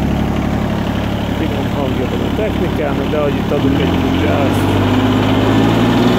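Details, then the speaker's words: Everun ERE12 mini excavator diesel engine at idle: steady even low drone, no knocks or misses, settling to a slightly firmer note after a few seconds. Normal diesel idle. "Egyébként egy ilyen nagyon finom kis kultúrát hangja van. Kicsit hallgassuk meg, hogy milyen hangja van."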